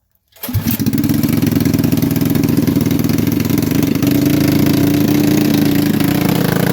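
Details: Manco Thunderbird minibike small engine after reassembly (new spacer, torque converter refitted), just started: catches and settles into a fast busy idle that stays raised; high idle, owner suspects intake manifold leak letting in too much air, plans new gasket.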